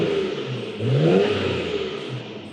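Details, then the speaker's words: Freshly imported Nissan R34 Skyline GTR V-Spec just off the delivery truck, low on fuel, with some dash warning lights: a quick rev rises and falls cleanly with a faint turbo whoosh under music; healthy-sounding engine. "you can hear the turbos a little bit yeah that gas gate is L"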